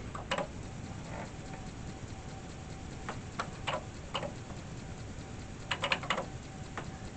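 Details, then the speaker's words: 40-year-old, very dirty Atari 1050 floppy disk drive after disassembly and cleaning: quiet motor hiss, scattered ticks and head-step bursts as it boots after an earlier boot error; owner thinks it needed to run up to speed. It now reads normally. "oh I did read it maybe it had to work its way up to speed hey she works"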